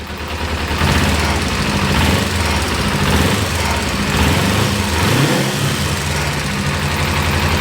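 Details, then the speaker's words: Kawasaki ZZR250 twin at low tick-over after new bushes made for the clutch basket to cure the low-rev clutch knock; steady, even idle with no knocking, repair worked. "Listen to that. Normally that tick over it would be knocking. Perfect."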